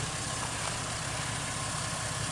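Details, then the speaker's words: 2005 Ford Mustang, rebuilt and retimed engine after first start following about 3 years sitting: smooth even petrol idle, steady low rumble with no ticks, knocks or stumbles, healthy. "It's smooth. Really smooth. Sounds real nice."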